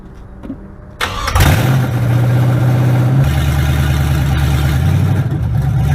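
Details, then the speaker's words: 1967 Chevrolet C10, first official start, fuel pressure checked: brief crank, catches fast and settles into a steady, even rumble with a small blip; had been giving fits but starts and runs healthy. "It's been giving us a little bit of fits, but that sounded good, didn't it? She's up and rolling."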